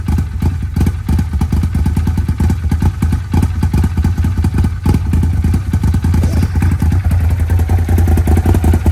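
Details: Arctic Cat Wildcat 1000X, with a stripped starter gear and metal shavings in the oil, started for the first time off a truck. Low, steady thumping runs evenly with no starter grinding or clatter.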